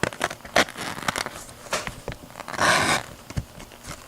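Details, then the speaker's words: Strap cutter with a terribly dull blade, microphone held close, strap pulled through: ragged crackling and ripping bursts with a long harsh tear, hard to control; dull blade tearing rather than slicing. "Aside from being hard to control, you can hear that tearing sound."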